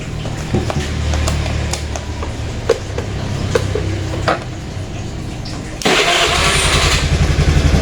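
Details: Honda Vario carburettor scooter after replacing a worn, loose fuse holder that caused no-start: starter whirs, engine catches and settles into a quick, even putter with no stumbling; normal start and idle.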